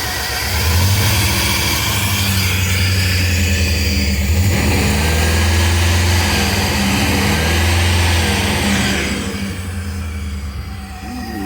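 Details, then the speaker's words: Chevrolet Suburban V8, warmed up after a Seafoam soak for no compression on cylinder 4 (plug oil-covered); mass air flow sensor unplugged, so rough air-fuel mixture. Lumpy, uneven idle and revs with a steady stumble each cycle, seeming to clear slightly: dead cylinder. "I know they they'll run a little rough on that cuz it's not getting the right air fuel mixture but I don't know sounds like it's clearing up a little bit"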